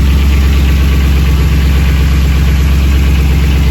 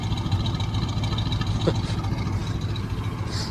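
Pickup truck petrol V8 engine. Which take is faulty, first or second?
first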